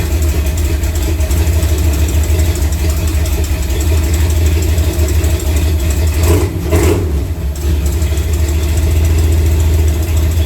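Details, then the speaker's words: Chevy C10 V8 with newly fitted Spintech exhaust at idle: a light, quick tick over the rumble from an exhaust leak at a flange missing a bolt. "I'm missing a bolt. That's why you hear the little tick, tick, tick, tick, tick. Got an exhaust leak because I ain't got a bolt."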